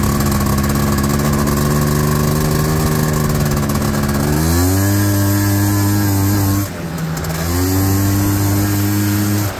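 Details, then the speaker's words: 1989 Honda Pilot FL400R two-stroke after engine rebuild (previous bearing noise, suspected crank bearings, chewed piston) and airbox lid swap, first ride: steady buzz climbs cleanly on throttle, drops back and climbs again, no knocking; runs smooth. "yeah I think we're done it seems to run good sounds just like mine feels the same way too"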